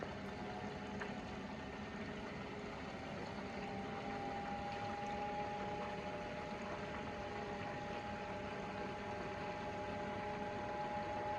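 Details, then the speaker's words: Fox-body Mustang electric water pump on a new controller at about 3/4 speed, 7–7.75 volts, rated 55 gallons a minute all out: even, steady hum with smooth rushing flow and no rattle or surging; normal pump flow. "yeah you could hear it flowing pretty good yeah yeah that's the so this thing will flow 55 gallons a minute like normal like all out"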